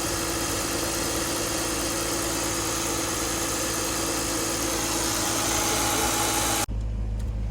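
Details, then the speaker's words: 2000 BMW 328Ci just started after bad parts were replaced: steady, even idle, smooth hum, no misfire stumble; owner says it runs better but isn't sure it's 100% and may need warming up. "seems like it's running better but still i don't i'm not sure if it's 100 but it does seem running better"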